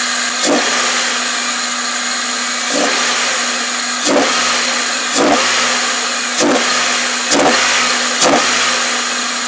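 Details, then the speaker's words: Toyota Celica idling after new fuel injectors were fitted: steady idle hum broken by sharp dips and clicks about every second; a worn idler pulley is making noise, while the cause of the engine's hesitation remains unclear. "right here that's pulley it's making a noise now I don't know why it would be causing hesitation"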